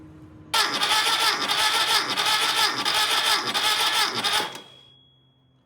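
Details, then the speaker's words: Freshly rebuilt VW Type 1 engine from a Karmann Ghia, cranked with the battery wired to the starter and grounded to the transmission, compression tester hooked up; steady, even four-second crank with no catch; normal cranking. "so I have the battery hooked up to to the starter and grounded down to the transmission I have this hooked up and also the compression tester to cylinder 1 that looks like a pretty solid 130"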